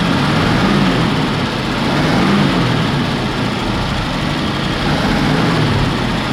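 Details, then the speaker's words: 1966 Ford Bronco, sat about 15 years, new fuel pump, coil, distributor: rough, lumpy idle with uneven low thump; cylinder 5 low compression causing misfire and backfiring from extra fuel; timing chain suspected sloppy. "and then it was also backfiring because there's a bunch of extra fuel going through because cylinder 5 decided to be down in compression compared to the other"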